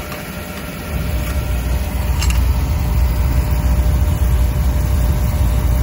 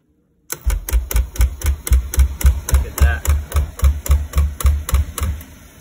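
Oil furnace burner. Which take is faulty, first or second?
second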